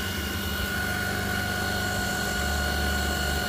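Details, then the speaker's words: 2008 Jeep Grand Cherokee 4.7L 4x4 idling with a steady high alternator whine under a carbon-pile load. The alternator puts out only about 50 A at 100–150 A loads, with suspected bad diodes and AC ripple. "looks like a 50 amps we got bad diodes in this thing i bet there's going to be a whole lot of ac ripple"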